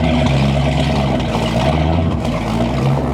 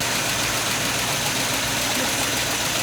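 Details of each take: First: 1989 Sea Ray 340 express cruiser, both inboard engines idling at the dock before a lake shakedown: deep, steady, even rumble with no misses or knocks; both engines running good. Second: 1989 Sea Ray 340 express cruiser, engines at about 2,000 rpm on the lake, possibly old gas, burning-rubber smell: loud hissing rush over the engine; exhaust leak at the manifold or muffler, engine not overly hot, needs fixing.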